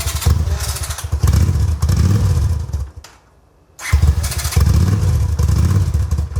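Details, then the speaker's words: 1981 Honda Silver Wing (GL500), non-runner first start after fuel restored to carb bowl; carburetors not yet rebuilt. Uneven bursts of revs fading when throttle eased; must hold throttle open to keep running, won't idle. Cause not confirmed. "I have to hold the throttle open to keep it on"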